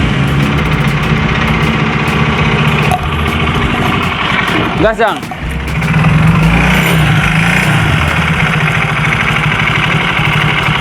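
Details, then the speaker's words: Yamaha Mio J scooter with a damaged cylinder block, started after adding oil: idles with a rough, clattery mechanical noise; the owner fears the connecting rod will be hit and plans to replace the block and piston. "Oke teman-teman ternyata motornya bisa hidup Karena memang sudah ditambahin oli cuman permasalahannya ini Suaranya berisik dan yang kita khawatirkan adalah stang pistolnya Nanti kena dan otomatis pengeluaran jadi semakin membengkak"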